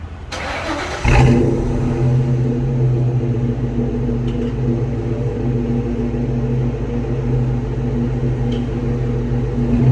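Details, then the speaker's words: 2000 Ford Mustang GT after a new clutch cable install, recorded from the rear at the owner's homemade hack-job modified exhaust: V8 catches after short crank, then deep steady burble with light blips; sounds good, modified exhaust note. "Let me starting it up, because you guys haven't heard the exhaust since I did my hack job on it. It sounds good, but doesn't look good."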